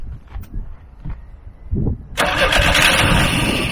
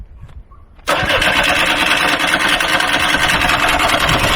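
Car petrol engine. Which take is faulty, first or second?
first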